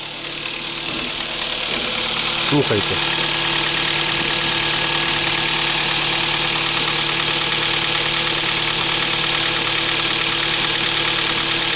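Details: 2007 Kia Ceed 1.6 petrol, 150,000 km, cold idle: light, even tapping from the top of the engine about three a second. Oil consumption has risen. The intake cam phaser was suspected; after replacing it, the noise disappeared. Cold-start cam phaser knock.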